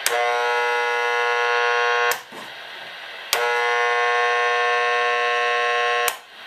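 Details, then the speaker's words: Fluorescent light bulb heard on a portable AM/medium-wave radio held nearby: harsh steady buzz cutting in and out twice; radiated RF interference from the fluorescent lamp. "now one of the major sources of interference in a lot of our modern houses are are light bulbs in particular fluorescent light bulbs and here's a great example of [Applause]"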